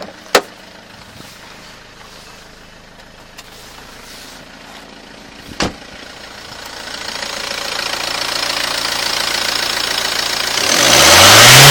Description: Strange whine from HDi engine....no it's not a supercharger!